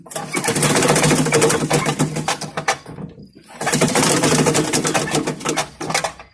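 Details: 5 hp MTD wood chipper shredder after flail arm maintenance to fix a banging sound: the single-cylinder engine drones at steady speed with bursts of shredding material and no rhythmic banging; running healthy.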